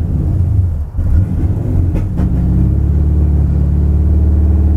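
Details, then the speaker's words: 1978 Chevy C10 pickup with 383 crate engine (about 430-450 hp), newly installed fuel injection: deep rumble that sags and stumbles, then a rough uneven idle needing throttle to stay running, AFR reading 20; running lean. "see it started wow kind of got to give it some gas to keep it running otherwise afr is 20. why is the afr 20 and when the target is"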